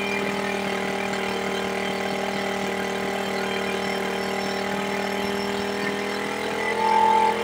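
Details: Smash 110 carbureted motorcycle after setting the carburetor air and throttle screws for an idle that would not hold: the single idles evenly with a steady beat, no hunting, and no longer dies; normal idle.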